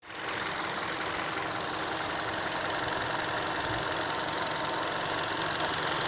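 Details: 2012 Hyundai Solaris 1.6 automatic, 130,000 km, fully warm idle; quick, light knock about three per second, appeared after an oil change, loudest at 80° oil/coolant, fades when hotter; owner suspects piston slap; engine knock at idle.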